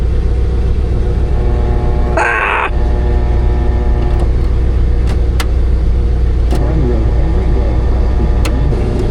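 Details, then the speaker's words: 1978 Dodge Monaco patrol car V8 started after purchase to check charging: deep, steady rumble with no ticking, knocking or stumbling; runs nicely, normal running. "Yeah, it just runs so nice."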